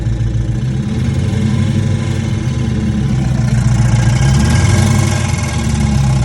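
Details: 5.7 HEMI Charger V8 at idle: loose uneven tick about three or four per second over low idle; owner unsure whether lifter failure, pulley, exhaust leak or flex plate.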